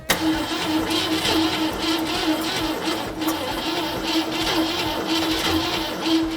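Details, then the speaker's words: 1965 Ford Mustang coupe, first start attempt after adding more power: steady starter whir with regular compression beats, a brief catch that dies away, engine never picks up; cranks but won't start. "She wants to live… it was close." "Oh, she wants to live. More spritzy. It was close."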